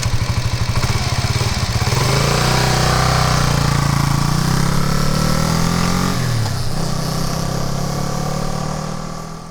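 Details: Kawasaki KLR250 dual-sport single-cylinder, formerly hard to start: fires on one kick, quick even beat, revs cleanly and pulls away smoothly, fading into the distance; runs healthy.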